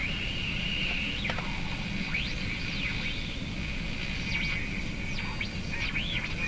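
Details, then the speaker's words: Canadian Marconi Model 339 five-tube radio, about 1950, at checkout and power-up: a steady whistle near 2.7 kHz with swishy sliding tones under the broadcast, a heterodyne squeal; owner suspects a bad capacitor. "So, you hear that swishy sound, something? I think that's because of a bad capacitor in the radio."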